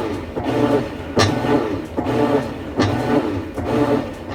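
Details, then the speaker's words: Used washing machine under repair, with the lid lock and spin already confirmed working: even swish-and-clunk agitate strokes about every 0.8 seconds, no grinding or knocking. Normal agitate cycle; it needs new suspension rods. "all right well let's see if we can get it to agitate now okay we have an agitate mode"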